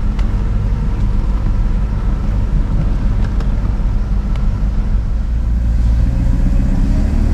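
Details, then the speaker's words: 1990 Mercedes-Benz 500SL R129 with M119 5.0 V8 just after starting: deep, even rumble at a fast idle. It starts unreliably, idles too high, and once warm it sputters, misfires and stalls. "so yeah it sounds like a v8 all right but while the car appears to start all right there are some issues under the hood it doesn't start reliably all the time and when it does the idle speed is rather high"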